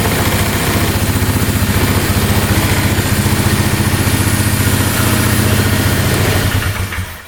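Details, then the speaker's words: 2002 Polaris Magnum 325 4x4 ATV, bought not running and needing a carb clean, after first start. It has a steady single-cylinder idle of about 220 beats a minute, even until switched off, with no smoking and no knocking; healthy idle. "Yeah, that sounds really good. No smoking. Alright, we got really lucky there."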